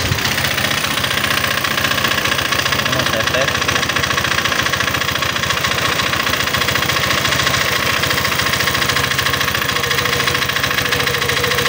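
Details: Honda PCX 150 scooter idling with the cam chain tensioner adjuster cap bolt removed. Still harsh and clattery with a fast irregular knock; tensioner back-pressure points to a problem there. Finding: piston scuffing.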